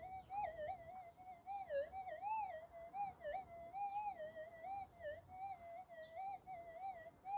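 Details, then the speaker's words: Minelab GPZ 7000 metal detector in a suburban backyard near power lines and appliances: a wavering mid-range warble over quiet hiss. Electromagnetic interference; owner suspects a TV in the room behind. "we can hear that noise I think it's a TV on the in the room behind me now I can hear that through that noise"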